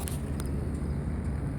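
Low idle thump with faint light ticks about twice a second over it; a knock is present but its source is unconfirmed.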